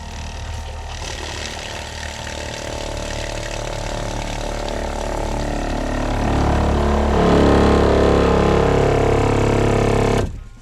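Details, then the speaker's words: RV fresh-water pump (new SEAFlow unit, not yet mounted down): steady motor hum with hard high-frequency buzz growing louder before cutoff; the noise is the rigid PEX lines vibrating against the floor and side of the RV, not the pump. "But what the noise is the rigid PEX lines vibrating along the floor or the side of the RV."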